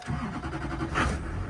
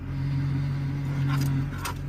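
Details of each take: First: Diesel truck with 224,000 miles, due for an oil change, seen at an auction walk-around: after waiting for the glow plugs, a short crank and it fires right up into a steady, even clatter; it runs like a champ with power. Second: Diesel truck with 224,000 miles: a steady low whine over a smooth idle grows louder when the brakes are pressed. The brakes seem tied in with the power steering, and a bad power steering pump is suspected.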